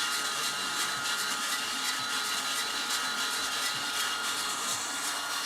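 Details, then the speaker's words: Skywalker V1 unit under inspection, drum and bulb working, cooling fan on: harsh hissy rushing with rough flutter over a steady whine; very unhappy noisy fan, cause not yet found. "Fan's working. Kind of. That's a very unhappy fan. Let's find out what's wrong with that fan."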